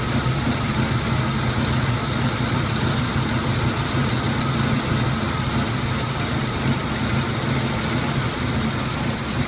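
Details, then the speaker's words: 1981 Turbo Trans Am V8 on cold start: rough, uneven idle, low rumble lurching and stumbling, the whole car jumping. "The whole car is actually jumping, so it's hard to see it. It's really running rough."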